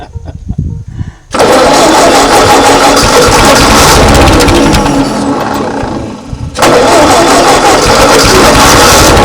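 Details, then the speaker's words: 1939 Ford tractor that sat in a field for 20+ years, running after fuel supply fixes, with a weak battery: catches with a steady rapid beat, sags briefly, then holds an even run. Normal running. "It's just so much fun to hear it run. Every time it does, I don't want to touch anything."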